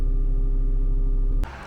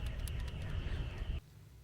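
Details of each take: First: HPEVS AC50 motor from a delivery van after its bearing was replaced, running at 1000 rpm: a smooth, steady hum with clean even tones and no scraping or rumble. The earlier strange noise is gone; normal motor run. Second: HPEVS AC50 AC motor from an electric delivery van, two years in service, noisy at 1,000 rpm: the removed old ball bearing, spun by hand, gives a loose, gritty, uneven rattle like a literal baby rattle. Worn bearing.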